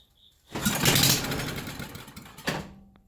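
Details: 1974 Briggs & Stratton 8 hp 190402 engine, a revival project, on starting fluid. It fires and runs for about two seconds, then fades and dies. A fuel-delivery problem is suspected, and the carburetor is to be pulled next.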